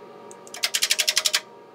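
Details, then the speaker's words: Würth Elektronik pulse tester applying current pulses (up to 100 A, up to 8 ms pulse length) to a soldered SMD ferrite bead: quick run of crisp clicks, about twelve a second, as each pulse passes through the part; normal pulse delivery. "you can hear the clicking sound that's when the pulse is going through every part turns them"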